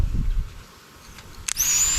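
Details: Fuel pump from a long-abandoned swamped Sea-Doo, previously seized and freed by hand, now bench-tested on a battery: click then steady high whir, working normally.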